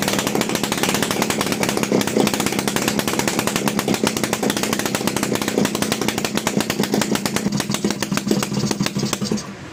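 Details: TVS XL Heavy Duty two-stroke moped, freshly rebuilt engine on extra oil in the fuel, just kick-started: busy buzzing beat picks up crisply with throttle and settles cleanly; running healthy.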